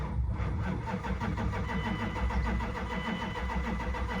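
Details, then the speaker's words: 1998 Dodge Durango, 219,000 miles, sat over 10 years, possibly weak battery: quick, even, strong cranking from a healthy starter but never fires; owner tries starting fluid next. "Crank's good. I guess I'm gonna go grab some starting fluid and see if that works."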